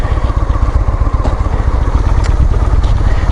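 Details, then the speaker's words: Honda Shadow 400 (Steed) V-twin idling right after oil and filter change with 2.4 L fresh oil; low even thump, no knocks or misses; normal idle. "И завести его, дать ему, ну, то есть дать ему поработать. Перестанет моргать гореть красная лампочка давления масла."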